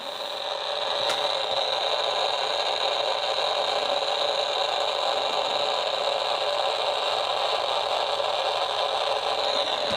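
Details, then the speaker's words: Homebuilt AM superheterodyne receiver with antenna on clip leads, not wired in: even hiss with a faint steady whistle and no programme, just static of unknown origin; station not received. "there's a lot of static right there and I'm not really sure where that's coming from"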